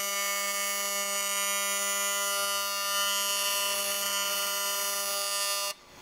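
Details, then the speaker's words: Steady, piercing constant-pitch AC TIG arc buzz for about six seconds, then cut off; machine thought to go up to about 300, building up a water jacket wall to cast thickness; normal arc sound. "So the faster the art you know it's a little more earpiercing yeah disgusting do you want some earplugs"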